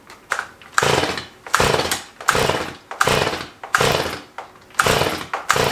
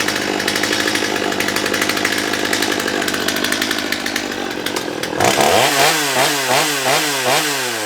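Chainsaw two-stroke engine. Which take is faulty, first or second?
first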